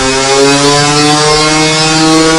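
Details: 2021 Gas Gas EC300 two-stroke on a dyno pull, comparing a dented stock pipe (37.83 hp) with a brand-new stock pipe (41.18 hp): steady high-revving note, crisp and even with no tinny ping or rattle; engine and pipe sound healthy under load.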